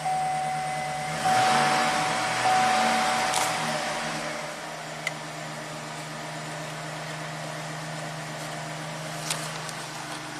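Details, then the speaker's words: 2011 Chevy Silverado 5.3 V8 after repair of intermittent stall/no-start (P025A fuel pump control module enable circuit) and codes cleared: chime, short crank, quick catch, smooth steady idle. Normal start and idle. "And let's clear the codes, make sure this truck runs great. Alright, here we go, fire in the hole."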